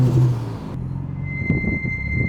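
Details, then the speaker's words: Mitsubishi Evo front brakes with track pads: a steady high-pitched squeal rises over the low car rumble. An attempted fix failed; owner suspects the pad choice and plans new pads. Cause not confirmed. "God, I hate it. I hate that sound. I hate that so much. Well, that's rather unfortunate because I was hoping that would do something to stop the squealing, but I was really hoping that would work, but it did not."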